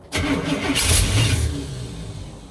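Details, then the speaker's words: 1967 Cadillac hearse V8, first start, no gas tank so fuel is poured into the carburetor: it catches with a sharp burst and roars briefly, then the revs sag and fade. Hard start on a primed carb, though the engine runs. "It's trying. Yeah. Go ahead. Yeah! [ __ ] lives! Sounds like [ __ ] but it lives."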